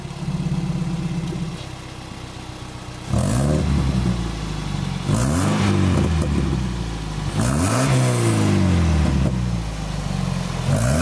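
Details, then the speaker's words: Toyota MR2 ZZW30 with 1ZZ four-cylinder engine, after rod-bearing repair, revving through a new homemade TIG-welded stainless exhaust with silencer fitted: smooth, crisp rises and falls with no knock or misfire, healthy free revving. "Quand c'est avec le silencieux, on l'entend de manière subtile, quelque chose que j'aime quand je vais utiliser la voiture dans la rue, et quand je l'utilise pour des lots, je peux désactiver le silencieux et le faire sonner."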